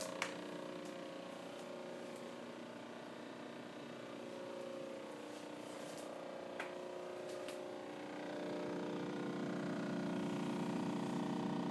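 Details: Brand-new Samsung 26 cu.ft. French door refrigerator, under a week old, recorded on an iPhone: a steady, loud vibration buzz and hum lasting from half an hour to hours at a time; defective unit.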